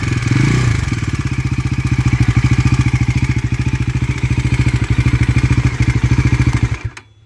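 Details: Bajaj Pulsar NS400 engine at idle; quick, even tick about three or four per second over the low thump; light top-end tick, cause not clear.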